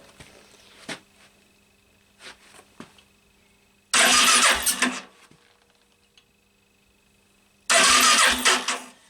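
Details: Yamaha Virago XV 500 cafe racer in snowy cold, ran fine a week earlier: two short bursts of the starter spinning the engine, no catch or firing; cranks but won't start, though spark confirmed on every cylinder.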